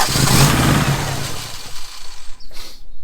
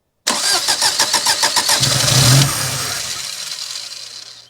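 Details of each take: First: 1987 Daihatsu Charade GTTI 3-cylinder turbo, sat 10 years: catches quickly, rises cleanly through a short rev and drops back without stumbling; normal start and rev. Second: 1987 Daihatsu Charade GTti 3-cylinder turbo, sat 10 years, with smelly fuel. Easy Start sprayed into the throttle: it cranks, catches, runs unevenly, dies, then restarts on another shot. It runs only on starting fluid, so stale fuel is suspected over a jammed injector.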